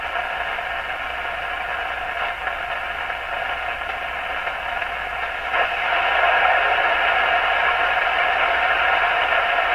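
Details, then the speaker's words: Stromberg Carlson Model 515 radio during intermediate-stage (455 kHz) alignment: a loud steady hiss with faint voices and tones swelling in and out; oddly oversensitive toward the band end, cause unknown. "Sure seems to be picking up external signals to me. That's what this sounds like."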